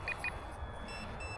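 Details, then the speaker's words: Volantex 500mm P-51D RC plane on its maiden flight, in the air: two quick high beeps, then fainter high tones over a low hum. This is the low-battery alarm sounding, so the plane is brought in to land. "I think that's my battery's low alarm. So let's bring her in here."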